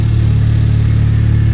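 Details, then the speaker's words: 2021 Honda Civic Type R, first start after upgrading PRL flex fuel kit v2 to v3 (ethanol content sensor): steady deep engine hum with no high-pitched whine, which the old kit made under throttle; runs normally. "With the old kit I had on, it was configured a little differently. It made a sound. Anytime you put the throttle on, it made like a high-pitched sound. Okay. I'm not hearing it with that."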